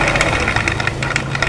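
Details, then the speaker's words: Yamaha NMAX with a snapped cam chain, cranked with the CVT cover off; crankshaft turns, but nothing from the piston up toward the head moves; fast even spinning with light rapid ticking and no compression or firing. "untuk bagian piston Pak untuk bagian piston dari mulai piston ke depan ke bagian head ini seperti tidak ada pergerakan Pak ya tuh"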